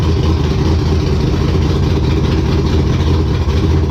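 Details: Race car Intimidator, V8 with open headers, after fixing stalling problem: deep, even idle burble firing smooth and steady, no miss or clatter; normal idle.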